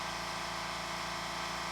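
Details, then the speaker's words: California Air Tools ultra-quiet air compressor running through a fill cycle: steady, even motor hum with soft airy hiss and no clatter; compressor running smoothly and quietly, normal run. "that at the end is probably a bit distracting but i think overall it's not as clackety it sounds quieter and i think i might have to cancel that return"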